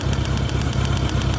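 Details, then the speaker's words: 1986 Honda GL1200 Goldwing, cold start after sitting an hour at about 60 °F, idling: fast light clicking about eight per second on top; normal fuel pump ticking, absence would signal a problem; engine is cold-natured, owner may need carbs done. "And yes, the clicky-clacky fuel pump is still clicky-clacky."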